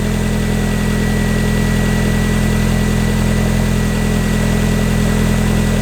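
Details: Mazda Miata idling right after installing a new DW100 fuel pump to replace the failed original that made it cut out: smooth, steady idle with an even low drone, no stumbles, knocks or hunting; running healthy.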